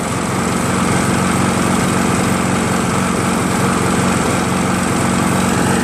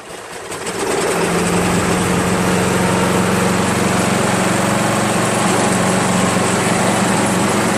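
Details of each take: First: Craftsman 7HP green self-propelled lawn mower, long hard to start despite lapped valves, checked keyway and carb cleanings; after about an ounce of Seafoam in the fuel, even steady beat at constant speed, no hesitation or surging; runs smoothly. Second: Free Craftsman 7HP self-propelled mower, hard to start and needing priming despite lapped valves and cleaned/replaced carb: single-cylinder idling with a slightly uneven, loping beat; runs rough, cause not pinned down, spark/ignition coil being checked.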